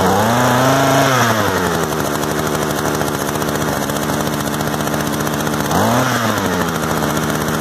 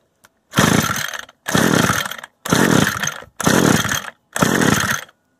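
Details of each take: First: Used Echo two-stroke gas trimmer of unknown history, after starting, idle being adjusted: buzz revs up and drops to a steady even idle, blips cleanly; running properly. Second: Used Echo gas string trimmer of unknown history, choke on and bulb primed: five raspy recoil pulls that never catch. It won't start because the ignition stop switch was left in the stop position.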